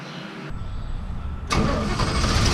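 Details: 1979 GMC C15 just fitted with Edelbrock 1406 carburetor: short crank, catches cleanly, settles to even idle with no misses or stumbles; healthy start.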